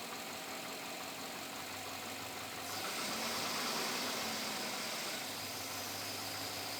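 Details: 2007 Chevrolet Avalanche V8 at about 86,000 miles idling with a steady, fairly regular knock, three or four a second, over hissy background; owner unsure if engine knock or piston slap, unresolved after four dealer visits.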